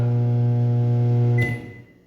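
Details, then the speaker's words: Panasonic microwave run for 5 seconds with a cup of water inside: a loud, harsh low buzz throughout that cuts off sharply at stop, the sound of something shorted, likely the capacitor, magnetron or high-voltage diode. "Isso aí é barulho de de alguma coisa em curto. Tem três coisas que faz esse barulho."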